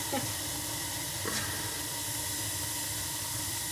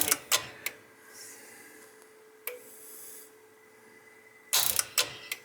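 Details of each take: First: Old gas boiler, about 20 years, that had been clicking with no heat: after the ignition controller was replaced (not the gas valve), the pilot lights and the burner fires with a steady, soft, even roar; normal flame. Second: Roughly 20-year-old gas boiler with no heat: sharp irregular clicks every few seconds over a faint hum, with no burner lighting; suspected bad relay box or possibly the smart valve, not confirmed.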